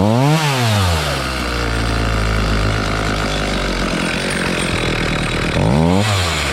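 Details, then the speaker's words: Homelite 4218C chainsaw, previously mis-adjusted carb screws, now being tuned by quarter- and eighth-turns on the low-speed screw (high side fine): revs up, drops back, then holds an uneven surging buzz, running poorly, probably lean; still not enough fuel. "okay still not enough and when you turn the screw you're not giv full turns you're giv a quarter of a turn an e of a turn"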